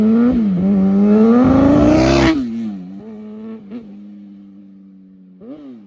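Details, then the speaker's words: Kawasaki ZX-10 roll-race sportbike on its first test ride: hard rising revs turn ragged and spit under load, then settle to idle; misfiring, owner suspects spark plugs or rest of the tune-up, says it acts fuel related. "Right here is where I realize the ZX10 is misfiring."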